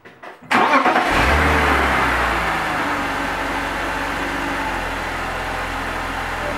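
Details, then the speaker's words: 1999-2005 BMW E46 3 Series after DISA valve replacement, test run with MAF and DISA cable reconnected: brief crank, clean catch, smooth even idle with no misses or hunting. "oops sounds good sounds good I'm going to remove the cable just to see what happens perfect perfect everything's working as it should"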